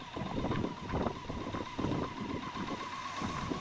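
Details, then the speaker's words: BMW K100 motorcycle after a 7-month rebuild, cold (about 38°F, snowing), running on choke: quiet, lumpy idle rising and sagging about every half second; owner doubts head gasket, suspects sticking rings; rough idle. "It could be head gasket, but I don't think so. Those rings might be sticking. They might take a while to wake up."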